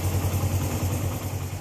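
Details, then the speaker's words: Suzuki GN125 single-cylinder motorcycle idling after manually adjusting the cam chain tensioner screw and nut: low even idle with soft steady pulsing and no ticking or rattle from the top end; sounds healthy. "Entonces ahora vamos a ver vamos a escuchar Cómo nos quedó sonando este motor Entonces recordemos como sonado antes y notemos Cómo suena ahora"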